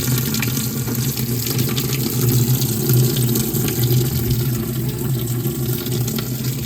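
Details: RV washing machine, owner checking for a leak, standard wash on low water level, water fed by hose through a filter: steady unbroken rushing hiss of water pouring in over a low hum; no leak seen, washer filling normally.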